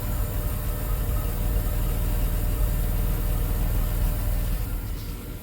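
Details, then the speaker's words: 1991 Dodge Grand Caravan SE, back on the road after sitting since 2003, idling after the old muffler was replaced with a new exhaust kit: only a low, soft, even hum, fuel pump audible, no rasp or blowing; exhaust quiet and sealed. "You can't even hear it running. It's quiet as can be. Nice. Yeah. Listen to that motor purr."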